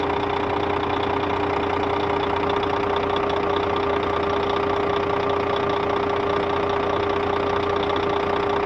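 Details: Scania K400 bus, DC13 13-litre 400 hp (at 1900 rpm) diesel at normal operating temperature, customer-reported strange noise: steady idle with an even knock about 2.5 per second and a constant tone; abnormal engine noise, cause unknown.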